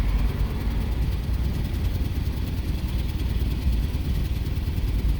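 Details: 2006 Jeep Commander 4.7L V8, code P0300, engine computer already replaced with same result; uneven lumpy low idle with irregular stumbling pulses, scan shows random misfire including cylinder 6: rough idle with misfire.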